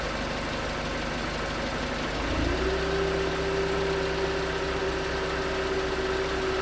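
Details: 2019 Hyundai Tucson 2.0L GDI Nu, 24,000 miles, on Mobil1 5W-20 with a NAPA filter under 1,500 miles old: cold start, then a fast light knock over a steady high idle. Owner suspects piston slap; switching to 5W-30 only slightly improved it.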